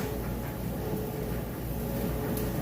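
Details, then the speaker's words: Whirlpool electric dryer running on time dry, high heat: quiet, even drum rumble with a faint steady hum and no squeals or scraping; normal operation. "As you can see in here, it sounds great. Nice smooth operation."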